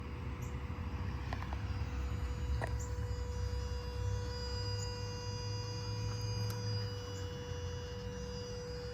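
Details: 2010 third-generation Toyota Prius: constant, even hum with a clear mid-pitched tone over a low rumble that never changes, always present but now louder than the owner recalls; source not pinned down.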